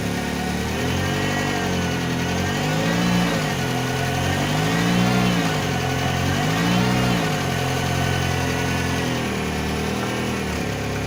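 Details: Ford Focus that clunks when turning, tested jacked up one side at a time after the wheel-side CV joint was replaced; engine rises and falls in three smooth sweeps with no clicking or knocking: the CV joint sounds healthy.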